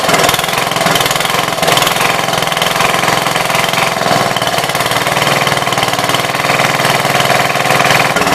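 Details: 1966 Gravely C10 single-cylinder after no-spark fix by switching to a battery ignition coil: fast, even popping holds steady with no misses or stumbles; engine running normally.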